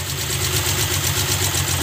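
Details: Suzuki Multicab F6A 12-valve carbureted engine, after the blocked fuel return line was cleared, holds a steady, even idle with a smooth low rumble and no knocks or misses.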